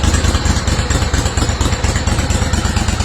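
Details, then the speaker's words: Steiner zero-turn mower, Kohler Command 25 twin, reassembled after new stator, regulator, coils and wiring cleanup (previously ran on one cylinder): steady, even low thump at idle with no misses or knocks; normal idle after repair. "we got this bad boy back together and all the bolts put in and all the wires cleaned up like they're supposed to be and starts up like"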